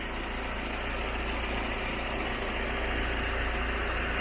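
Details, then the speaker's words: VW Gol with flashing oil light, idling with the electric fan running: rough, shaky idle with a steady low drone and a loose rattling beat around three and a half per second, cap and hose shaking; heavy idle vibration. "I don't know if you can see the so much so that this lid is shaking here, it's shaking a lot, the hose here is shaking so much"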